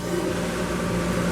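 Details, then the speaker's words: Shop-built cyclone dust collector, modified after an impeller failure, switched on with the band saw port's homemade blast gate open: a steady, even rush of air with a constant low hum and no knocks or rubbing. Running normally and pulling well. "once I turn that on you you can hear it fire up okay and uh this thing really really works good uh around my band saw"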